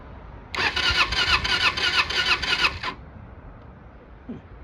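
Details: 1995 Kawasaki Eliminator EL 250, off the road since about 2019, cranking: steady starter churning about three beats a second for two seconds, never catching; cranks but won't fire, plug sparking down the side not the electrode, probably weak spark.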